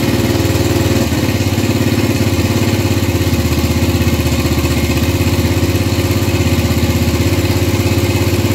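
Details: Gilera 150 Super Sport single-cylinder with adapted Honda AX 100 carburetor, first start after basic timing: steady, lazy idle with soft even thump, dull and sluggish; timing plate set almost fully retarded, feels retarded.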